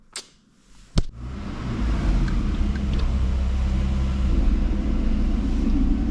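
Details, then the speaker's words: Volvo driving, heard from inside the cabin: low steady droning rumble builds as it rolls; wheels make no unusual noise, owners suspect worn driveshaft center support bearing. "Se on varmaan tukilaakeri. Tukilaakeri meillä jollottaa. Me ei mitään muuta vikaa keksi."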